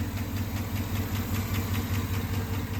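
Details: 2009 Chevrolet Avalanche with the GM 5.3 V8 and AFM/DOD: quick, even light upper-end ticking over a steady idle, caused by failed AFM lifters found on teardown.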